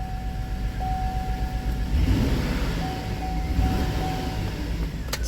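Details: Chevy Tahoe 4x4 with P0300 code, parts already replaced without fix: V8 idling with uneven lumpy beat that stumbles now and then; misfire at idle.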